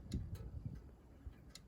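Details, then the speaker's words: Electric fence charger at the back box, switched off yet still hot, wired to the neighbor's fence; faint sharp ticks about every half second; charger pulsing with switch off, cause unclear. "The switch is turned off, but it's ticking. It's hooked here, but it's hooked to the neighbor's fence back up there. And it's hot. It's hot, but it's ticking."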